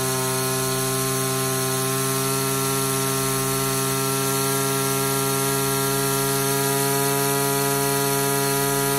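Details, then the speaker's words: Older Echo SRM two-stroke string trimmer with a new HiPA replacement carburetor, run at full throttle. A steady high buzzing wail holds while the high-speed screw is adjusted for maximum rpm. Overtightening dropped rpm; backing the screw off raised it again. "our goal here is to run this thing at full throttle adjust the screw until we can reach maximum rpm"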